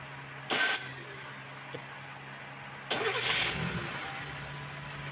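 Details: Mazda carburettor engine after correcting swapped primary/secondary jets (large jet on secondary, small on primary), which made it die when throttled: catches cleanly, takes a quick rev without stumbling, settles to steady quiet idle; carburettor running right.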